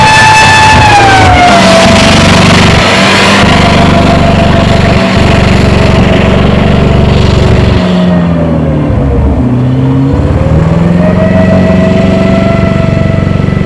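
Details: Alvis Saracen APC FV603, big engine driven on a farm around 1995–96, revving and dropping under load with an uneven, stumbling low beat instead of a smooth note; misfiring.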